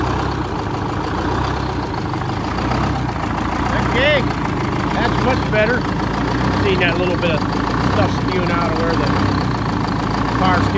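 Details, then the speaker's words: 1978 Chevy Bruin with 8V71 Detroit two-stroke diesel, first start after repairs, no coolant in it, steering pump line came off: steady, even deep idle drone with no misses, knocks or rattles; normal idle. "steering pump line came off but that's how cool old Detroit stok supposed to sound I'm not going to let it run too long here"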